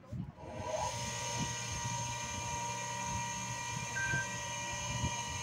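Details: Freshly rewound water pump that previously would not start: current starts at about 6 A and drops to 2.2 A. A steady electric hum and constant whine hold without labouring or cutting out. Motor running normally.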